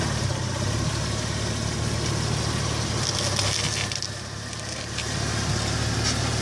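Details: 2004 VW Passat, clicking from left front when stopping abruptly or slowly: a few sharp scattered clicks over low engine and road hum; suspected front suspension or brakes.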